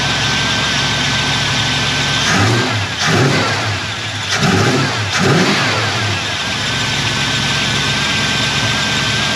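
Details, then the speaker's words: 1989 Jeep Grand Wagoneer 360 V8 after fitting 1-inch carburetor spacer, fuel pressure 6–7 psi: idles evenly, throttle blips rise and drop cleanly, settles smooth; started better; normal idle. "well I don't know if it actually hurt or helped but um it cranked up better that's a good sign"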